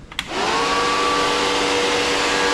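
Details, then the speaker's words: MGB 18V engine test stand electric cooling fan switched on during electrical testing before engine is run; spins up quickly to a steady even whirring hum; fan works properly. "Fan's on. So that works."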